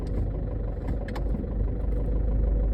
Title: 2011 Chevy HHR rough idle and slow speed noise with P0011 code